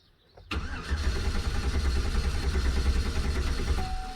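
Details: Stolen-and-recovered 2009 GMC Sierra 1500 4x4 with newly programmed key and diesel found in the gasoline tank, fuel rail pressure 57 psi: starter cranks steadily at about three beats a second but engine never catches; crank no-start.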